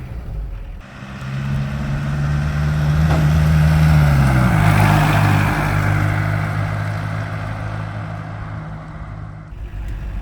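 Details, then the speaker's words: VW diesel (about 54 hp) swapped Chevy S-10 pickup after T5 transmission replacement, driving warm at about 170°F; steady deep drone swelling with throttle, even, no knocks: normal running under load. "The little diesel engine actually sounds like a much larger engine. It sort of inspires confidence."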